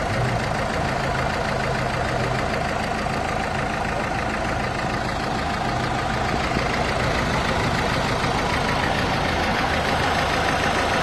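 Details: Renault/Dacia 1.5 dCi diesel with Delphi high-pressure pump at idle: steady idle with a fast, fairly even rattling tick around 200 a minute over the engine; abnormal idle noise, cause undetermined.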